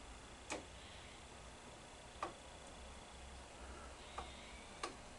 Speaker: Hear that clicking? See? And every time it has a problem, it does that.